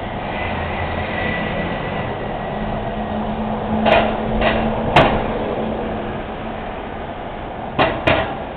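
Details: Noisy manhole cover on a Montreal street that needs repair: each wheel passing over it gives a sharp metallic clank, sometimes a quick double hit, from the loose cover rocking in its seat.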